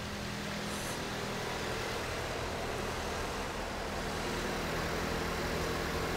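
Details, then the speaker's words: 2014 Ford Fusion 2.5L, after new A/C compressor installed and system recharged, engine started with A/C on: steady even idle, smooth compressor hum and blower rush, no knocks or squeals; normal A/C running at idle. "All I'm going to do at this point is just start the vehicle up and uh go ahead and turn the AC on. Just hopping inside the car now."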